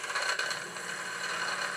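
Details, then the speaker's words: Small steam engine in unfinished Victoria steam boat on live steam test, not new but little-run, extra oiled, regulator doubling as reversing lever; steady hissing chuff with light mechanical rattle, running very well; normal running. "the engine is really running well it's very good indeed"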